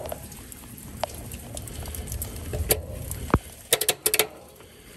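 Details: HVAC outdoor unit after reconnecting the disconnect and whip following a low-voltage short: one sharp click then a quick cluster of clicks over light rain, the contactor pulling in normally.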